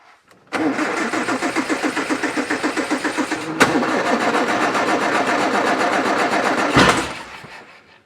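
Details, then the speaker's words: 1960 Triumph TR3 that cranks but won't start after sitting, both carbs just filled: uneven cranking then one sharp backfire; may not be a fuel problem, though one carb is empty, possibly a stuck needle and seat. "Ah, well that's interesting. Backfired. It may not be a fuel problem, but still that carb is empty."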